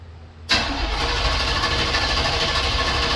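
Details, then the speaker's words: 1979 Chevy G20 van, first start after fresh oil and transmission fluid and a new Thrush chambered muffler replacing the old Thrush turbo; catches instantly and settles into a steady, even V8 idle with a deep burble; healthy start. "So I'm gonna throw some oil in it, trans fluid, and I want to start it just so we can all hear the new exhaust."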